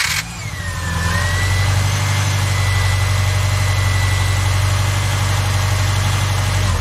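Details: 2007 Subaru Forester after starter replacement: quick crank, catches immediately and settles into smooth, even idle with steady low hum; starts and runs normally.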